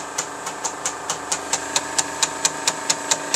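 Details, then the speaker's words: GAF 3000S Super 8 sound projector on a film test after its blown lamp was replaced: crisp, even ticking about five a second over a steady motor hum, film transport running smoothly. Normal running. "And yeah, you can see the volume control. You can hear the amplifiers running. And there's actually the film. It looks nice."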